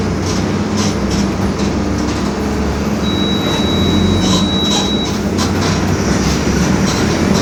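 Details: 2021 Marcopolo Torino S bus on Mercedes-Benz OF-1721 BlueTec 5 chassis, urban route, driving: a steady low drone under road and engine noise; differential growling.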